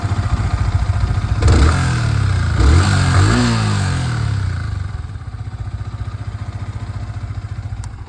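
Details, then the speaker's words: Yamaha R15 V3 after one-way (starter) clutch repair: engine catches, revs twice, settles into an even steady idle with no knocking or grinding; the earlier noise is completely gone. "वो आवाज अब पूरी तरीके से जा चुकी है। मेरा प्रॉब्लम तो सॉल्व हो गया।"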